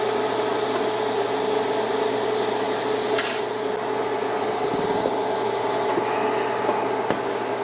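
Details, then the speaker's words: Beginner's first TIG lap joint on cold rolled steel coupons at 120 amps, raised because current seemed too low: steady, even hiss with faint constant hum, no crackle or popping. Stable arc, bead looks better though a little wavy. "I'm gonna go up to 120. I'm gonna crank the amps up a little bit. Maybe it is still a little too low on the current."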